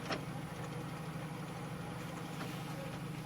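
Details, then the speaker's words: 1995 Jeep YJ AX-15 transmission, rear driveshaft removed, 2WD, stationary: silent clutch in; steady low drone and faint rumble with clutch out, slight in first/second, worse in third, bad in fourth/fifth, no rattle on throttle; transmission noise, cause unclear. "third gets a little bit worse fourth and fifth is pretty bad you can hear it still moving but not rattling when you put on the accelerator"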